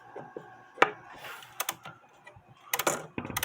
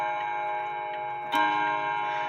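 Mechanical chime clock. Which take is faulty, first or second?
first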